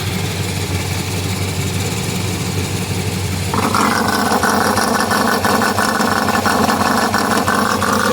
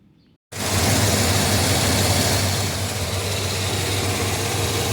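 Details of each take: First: Exhaust leak at a bad air-injection check valve on a Chrysler New Yorker 360 V8: idle with a sharp, hissy puffing pulsing with firing, fixed by capping the line with a half-inch screw cap, much quieter after. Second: Chrysler New Yorker 360 V8 at idle after a bad exhaust check valve (air injection for catalytic converters) was capped with a half-inch screw cap, curing the exhaust leak noise; now a steady low rumble, much quieter, no ticking or puffing.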